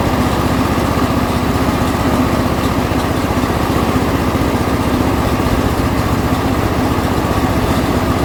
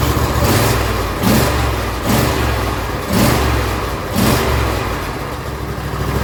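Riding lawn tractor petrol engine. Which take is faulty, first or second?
second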